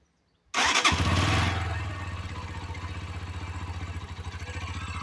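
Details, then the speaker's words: Romet Chart 125 OHC single-cylinder motorcycle after valve clearance adjustment: starts cleanly, steady even beat about four per second, no top-end ticking; normal idle with correctly set valve clearances. "o i tak powinien pracować silnik z prawidłowo wyregulowany Mii luzami zaworowymi"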